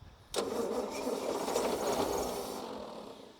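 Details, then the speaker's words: About 1952 Austin truck, six-cylinder petrol, sitting roughly 18–20 years: starts almost immediately, settles into fairly steady idle then slowly dies away; normal start and idle. "She doesn't want to play. Goes. Oh, would you listen to that? Straight away."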